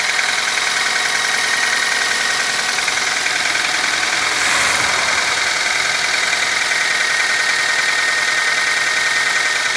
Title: стук на холодную двигатель QG18DE